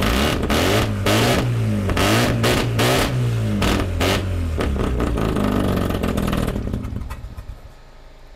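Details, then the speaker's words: Mazda FC RX-7 rotary after fuel tank reconditioning, fuel lines swapped back: starts, revs in quick blips with a loud exhaust rasp, settles and shuts off; sounds better, engine runs healthy. "yeah it's so neat that we can be this far away and like super nice that sounds better there she goes"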